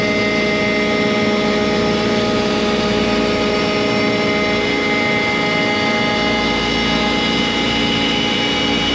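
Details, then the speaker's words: ShopBot CNC spindle V-bit cutting 6061 aluminum, steady high whine with harsh gritty chatter beneath, a rough cut attributed to the wrong cutting direction; direction and start depth to be changed. "I'm going to change its direction and see if we get a little different result."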